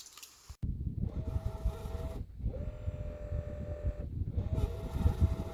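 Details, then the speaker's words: Boat autopilot steering pump on an outboard failed after a few fishing trips: three steady mid-pitched whines of about two seconds each, with the pump running but the outboard barely moving. Owner suspects overheating, voltage or settings; unconfirmed. "you will hear that the pump is operating but the outboard is not move"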